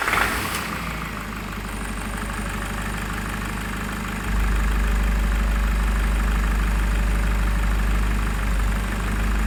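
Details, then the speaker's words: Nissan ZD30 3.0L turbo diesel, over 415,000 km with untouched bottom end, after blown head gasket repair: fires on second key turn after brief crank, settles into steady even diesel clatter with no knocks or misses. "Well, have a listen to that. Fair income, that sounds good. For an engine with, you know, north of 415,000 Ks on the clock, and the bottom end of it, to this day, has never been touched."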